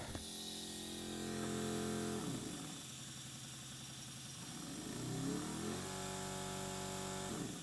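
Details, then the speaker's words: Vevor pneumatic jewelry engraver, air held at 30 PSI, speed knob turned: steady motor hum sweeping up and down in pitch, smooth with no knocking; normal motor ramp-up, though owner suspects the knob's control electronics are a weak spot. "You can hear that ramp up. You can hear that motor ramp up."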